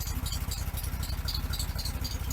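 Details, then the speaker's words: 1974 VW Beetle Sun Bug with a non-stock built engine and performance cam, which fired right up. A low, loping, slightly uneven putter from the cam; otherwise the engine runs sound and steady. A normal idle. "fired right up. It's a little lumpy because of the cam, but >> Well, yeah, of course it's going to be. It's not a stock motor, but the size that you've built is good for a daily driver."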